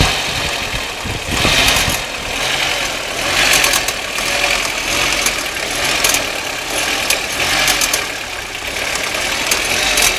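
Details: Audi 1.8T turbo petrol (AEB engine) at idle: light, sharp metallic clicking over a thin, hissy running sound; cause unknown.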